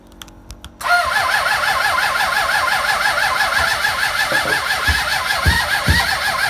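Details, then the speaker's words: Suzuki GSX600F with a cold-start problem: cranks steadily with compression pulses after brake cleaner sprayed into the intake but never catches; the second battery is also running flat. "Give one more try. It's not to work, so it should. And even the other battery running flat, so let's fire up the other bike, get some charge."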